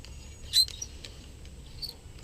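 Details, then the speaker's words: Nunchucks with no bearings, the aluminium joint rubbing metal to metal: a few short, thin, high squeaks as the joint is worked; it binds up and won't spin freely. "that squeaking come a flop around I did not like that I was so disappointed whenever you're swinging them and they bind up"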